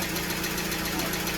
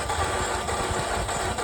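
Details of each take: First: 2015 Ram ProMaster 2.4 MultiAir van, crank no-start from MultiAir hydraulic system losing pressure, after bleeding it with a custom tool: even, steady idle with smooth firing rhythm, no misses or knocks; a plunger may still need replacing. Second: 2015 Ram ProMaster 2.4 MultiAir that suddenly stopped starting: fast, light cranking with no compression pulses, as if the valves or timing chain had failed. Air trapped in the MultiAir actuator was holding the valves shut, fixed by pushing the valve while cranking.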